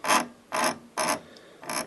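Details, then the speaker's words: Grundig 3028 radio during mechanical overhaul, clutch mechanism driving the VHF tuning condensers; harsh scraping rasps in bursts about every half second as it turns. Owner suspects stiff sliding plates on the shafts, which should move freely: binding tuning mechanism. "uh vhf end um as you can hear there's a binding going on there which doesn't sound very nice um and i'd say it's just that the sliding plates that are supposed to slide on the shafts are really really stiff and they should move relatively freely"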